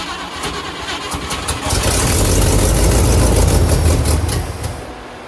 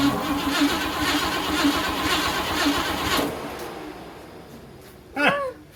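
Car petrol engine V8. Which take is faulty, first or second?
second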